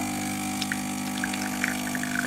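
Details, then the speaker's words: Espresso machine brewing an ESE pod: even, steady pump drone with faint buzz and small water gurgles; pump runs quietly and normally. "Comme vous pouvez l'entendre peut-être, elle fait très peu de bruit, elle est très silencieuse. Là, on entend un bruit régulier de pompe."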